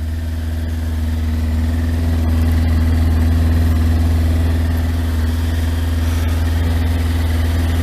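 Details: Yamaha Thunderace, started after long storage with no coolant in it, run briefly before a water-leak check: a steady, even idle with no knocks or misses; it sounds smooth, though it is probably running out of petrol.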